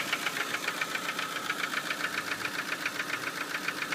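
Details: Ford Focus 1 2.0 Split Port at idle: sharp, regular knocking about two and a half times a second over a quiet idle; a definite engine knock, source unknown to owner.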